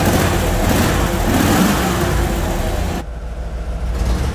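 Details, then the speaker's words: 1996 V8 car, long stored, first start: lumpy, stumbling idle at about 500 rpm with a light throttle blip and the check-engine light flashing. Oil pressure is good with no knocking; the owner suspects it runs on four or five cylinders. "all right it's running we know for sure it's running on seven cylinders i have a feeling it's running on more like four or five cylinders it's running really bad"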